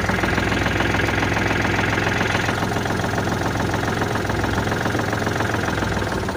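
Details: Kubota L4018 tractor diesel that had a no-start problem (solenoid and starter not working, display glitching), now idling with a steady, even low clatter and no misses or knocks; running cleanly.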